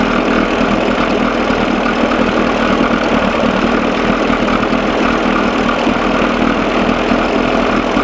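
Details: 1987 Johnson 6 hp outboard on a bucket after carburetor linkage fix, lukewarm; loud even buzzing run at steady speed with no dropouts or sneezes after mixture adjusted from lean miss; sounds good but still runs too cold.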